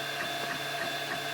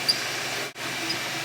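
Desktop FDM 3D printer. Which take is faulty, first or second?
second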